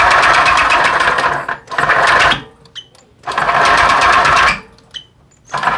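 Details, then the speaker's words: Honda PCX 125 scooter engine before removal and disassembly: rapid ticking clatter in short bursts as the engine blips, with quiet gaps between; abnormal engine noise, major engine problem. "Låt oss först lyssna på det konstiga ljudet som kommer från motorn."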